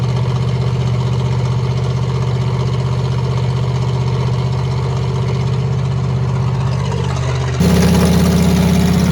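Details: 1986 Ford F150 with solid axle swap, idling after a cold start while its coolant system is refilled after a flush: steady, even low idle pulse about four a second, then a small step up in speed near the end. Runs smoothly.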